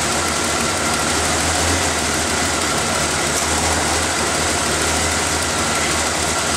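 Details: After refitting the intake's vacuum lines, air filter and cover, the engine is started to check for air leaks: steady, even idle with a constant airy rush over a low hum and no misses or knocks. It sounds healthy.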